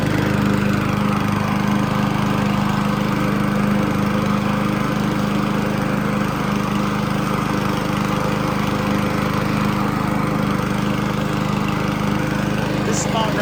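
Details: Honda GCV160 lawn mower engine after replacing the old carburetor with an aftermarket Amazon carb, started on choke: steady, even single-cylinder beat with no surging or misses, running smoothly, much better than before.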